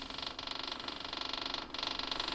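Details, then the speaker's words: Kubota BX diesel tractor, fuel line off injector pump into jar: electric fuel pump ticks fast and steady but no fuel comes out; suspected iced or gelled fuel or clogged filter, not confirmed. "and you can see there's no fuel coming out of that we're probably iced up or gelled up or something it's no good"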